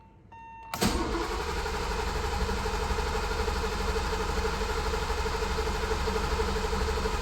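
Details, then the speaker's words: 1985 BMW 635CSi with M30 engine, fuel pump fuse (15A, number 11) pulled to bleed fuel pressure: a brief starter spin, then it catches and runs on residual pressure; no fuel pump heard, as expected. "It'll either not start or it'll start but die right away. Both of those are fine. As expected, I don't hear the fuel pump running."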